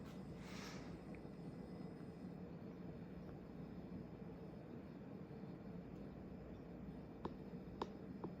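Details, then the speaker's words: 1994 Hunter Legacy 52-inch ceiling fan on high speed: a soft, steady rush of air, fairly loud wind noise, with no ticking, rubbing or wobble; it runs normally. "go up the high now I don't know if you guys can hear it but there's some pretty loud wind noise"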